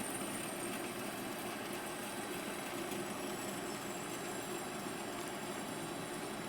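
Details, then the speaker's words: MX-210V small lathe parting off 1018 steel with a homemade inverted spring-style HSS cutoff blade holder, run in reverse at about 200–300 rpm: quiet, smooth, steady hiss and hum with no squeal or hammering; a clean, chatter-free cut. "as you can hear it's making a a chatter-free cut and it's producing nice trips the cut off progressed smoothly and fairly quickly within the limits of my lathe motor anyway"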